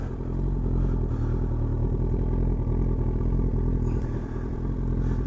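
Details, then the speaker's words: Motorcycle after PAIRS/Kleen Air removal, clean-air mod and shimmed needles: busy metallic clatter over lumpy idle. Owner suspects the cam chain tensioner needs resetting, probably never done, which makes the engine extra rattly on start. Cause unconfirmed. "start these are very rattly anyway but especially when the cam chain tension needs doing"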